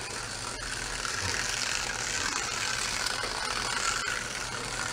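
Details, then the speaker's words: 1960s Jaguar slot car unused about 40 years, uncleaned: high thin motor whir with uneven ratcheting rattle about four clicks a second, stiff and rough; owner unsure whether gear hits track or the petrified tires are worn down. "I don't know if it's just the the gear is hitting the tracker the tires are so wore down or or what it is"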